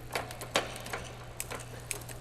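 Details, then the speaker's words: Magnum Navigator electric bike, factory-adjusted drivetrain, shifting one gear at a time from 8th (smallest rear cog) to 1st and back while pedalling: soft whir with brief clean clicks, no dragging, grinding or extra noise; normal gear shifting. "As is the case, it's adjusted perfectly from the factory. No dragging, no extra noise. Each shift happened perfect."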